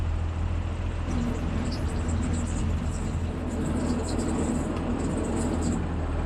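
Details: MF 3505 diesel tractor restarted after a screech was heard from the front while baling: steady diesel rumble with faint high intermittent squealing chirps. Water pump failed.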